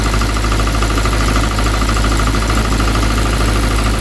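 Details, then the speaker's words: 1972 Triumph Dolomite 1850 automatic after new ignition system with electronic ignition module and ballast resistor: smooth, even idle with steady low hum, no misses or knocks; timing right, engine running sweetly. "Seems good, doesn't it? Well, I reckon that's we was a bit worried we didn't get the timing quite right, but by the seems of it, the way that's starting up and running, it's absolutely lovely."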